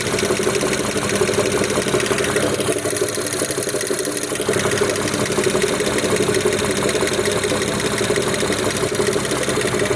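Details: BMW E92 335i N54B30 after 8 minutes of warm-up at idle, with no knock when cold; steady warm idle with a light, regular metallic tapping of roughly three a second; engine knock of unknown origin.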